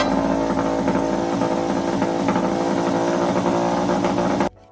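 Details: Yamaha 5HP outboard running with cooling water: steady, buzzy drone, running well but idling a bit too fast. Owner suspects a slightly dirty carburetor; cooling water flow also seems slow, possibly the thermostat.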